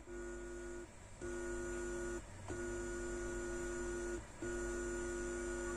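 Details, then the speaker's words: Onkyo TX-SR313 AV receiver being fixed for no sound, heard at full volume with speakers connected. Touching the amp input pins gives three bursts of low buzzing hum in the speakers, as expected. Front left and right channels are working. "பண்ணீங்களா ஒரு sound வருது அது அந்த sound வரணும் அப்படி வந்துச்சுன்னா problem இல்லை so front left and ரைட்ல நம்ம டச் பண்ணும்போது கரெக்டா வருது"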